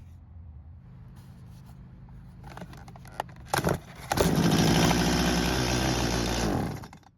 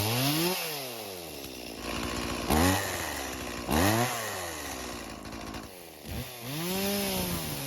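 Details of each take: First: Stihl chainsaw left in a barn for years, pull-started without priming. It catches for about two seconds, then dies; it ran only when the carb was primed. Stale fuel and a hardened carburetor diaphragm are starving it. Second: Stihl chainsaw left in a barn for years, after a small turn of the idle screw; its carb is non-adjustable and working properly: revs climb and fall back cleanly, settling to a steady crisp idle; normal running.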